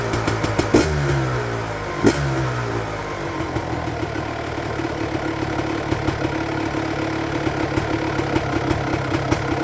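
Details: 1999 Honda CR250R two-stroke just restarted after replacing the leaking exhaust gasket and springs at the cylinder: crisp crackle through a couple of sharp blips, then an even, steady idle, with no front exhaust leak and quieter than before.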